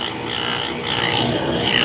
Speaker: So that clicking tells me that it is not perfectly round yet.